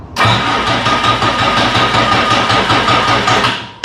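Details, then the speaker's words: Bobcat 743 diesel skid steer, about 30 years old, after replacing fuel lines, on a second battery: steady cranking about four seconds with even compression but no firing; air in the fuel lines, fixed by bleeding injectors. "Oh, that's all it was. I was just freaking pulling air from those lines."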